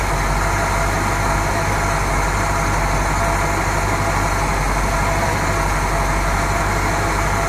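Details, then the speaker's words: 1970 Buick Riviera 455 being revived, just after fuel was added (it chugged without fuel), 14.3 volts: steady, even low V8 rumble while warming up, no misses or knocks. Normal idle. "yeah sound good groans good"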